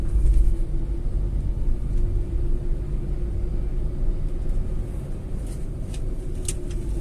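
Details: Tata Altroz petrol while driving, after its third service with an oil and air filter change: a steady, even low rumble with a faint hum and no knocks or rattles. The engine sounds smoother than before and runs healthily.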